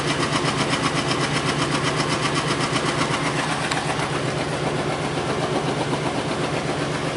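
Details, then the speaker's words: Lincoln Town Car Ford 4.6L V8, warming up with coolant added, no check engine light: steady, slightly uneven pulsing idle, about two to three beats a second; still misfiring on an unidentified cylinder. "it's still misfiring on whatever cylinder I don't know I'm not getting the check engine light for it so it makes no sense um but it's clearly misfire"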